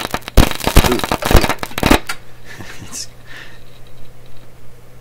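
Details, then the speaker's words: Canadian Marconi Model 93 tube radio after cathode resistor and bypass capacitor replacement for the #42 tube, testing the repaired speaker. Loud, irregular crackles and pops, then a faint hiss. Suspected loose contact or bad tube element, unconfirmed. "could be a loose contact that could be a loose - contact could be a bad tube element senator expanding and contracting and making all that sound"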